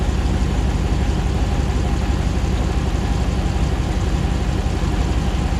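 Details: 2009 Hemi 1500 TRX4 auction truck, first start after months of rebuilding: smooth settled V8 idle, about 87 psi oil pressure, constant low rumble while warming, no surging, ticking, stumbling or jerking as before; normal warm-up idle.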